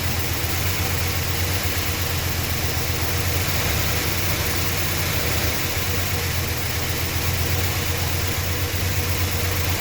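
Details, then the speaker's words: 1966 Chrysler New Yorker V8 first start after sitting 18 years: steady low idle with light, fast, uneven ticking on top, hydraulic lifters tapping while still filling with oil. "Oh, she is running sweet. I just want the hydraulic lifters to fill up. That's what the tapping is."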